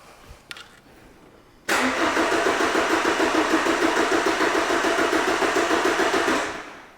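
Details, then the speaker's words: Vehicle with a crankshaft sensor signal DTC, cranking steadily at about 3.5 beats per second for five seconds and never catching. Scan tool shows no engine speed, so the ECU is not detecting the inductive crank sensor; crank no start. "and as you can see no engine speed being registered so that's the reason why the fault's been triggered the engine ecu is not detecting engine speed"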